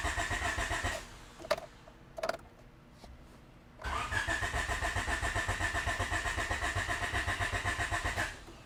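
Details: 88-91 Honda Civic EF hatchback with B17 swap during OBD0 multiport injection conversion wiring: starter churns evenly about four turns a second for several seconds, engine never catches; no fuel delivery.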